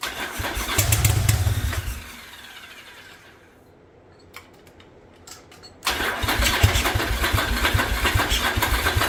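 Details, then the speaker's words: 1985 Yamaha Virago twin barn find, single-carb conversion with DIY manifold, started on choke: catches and runs ragged, dies, restarts just as rough; seems to fire on only one cylinder, smoke from front pipe. "it's firing but it looks like it's only firing on one cylinder I got smoke coming out of uh the front pipe"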